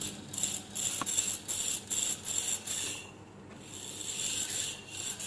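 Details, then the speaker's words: Treadmill DC drive motor run on 8.7 V DC with an off-centre armature shaft: light hissy rattle pulsing about twice a second; the uncentred rotation distorts IGBT output and heats the IGBT; fix is re-centring the armature on a lathe. "it's uncentral rotation it will cause to make more distortion in the igbt output that is here we can see and this vibration this noise it will continuously cause to heat up the igbt"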